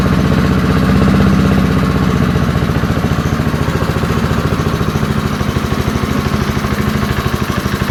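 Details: Early-1970s BF Goodrich push mower, a barn find that sat for years with a seized engine, now freed and running outdoors after carburetor diaphragm work: a steady single-cylinder putter at about three and a half beats per second, even and unbroken. Normal running.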